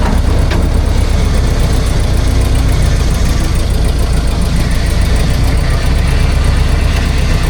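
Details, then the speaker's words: Dodge Dart's spun-bearing 351 V8 run with throttle zip-tied wide open: steady deep roar with rough undertone for about 30 seconds until oil drained and it seized, then smoking from the breather; oil starvation seizure. "I think she just seized. Yeah, it sounds like it. It just kind of gave the ghost. Oh yeah, it's smoking out the breather right there."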